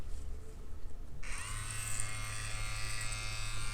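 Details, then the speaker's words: Spektra Flux Max tattoo machine switched on with the speed-up function: a faint buzz, then the motor whine climbs in pitch as it accelerates before settling to a steady even hum; normal spin-up. "Ну да, но по звуку даже слышно. То есть она разгоняется."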